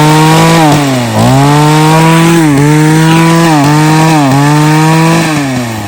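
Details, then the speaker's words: Mantis mini tiller two-stroke just after carburetor and fuel line replacement, choked and primed: high buzzing with revs sagging and recovering, still boggy and needing more adjustment; bogging, carburetor out of adjustment. "Yeah, it is kind of a little boggy right now, but I'll have to do a little more adjusting, but I'm happy it runs for right now."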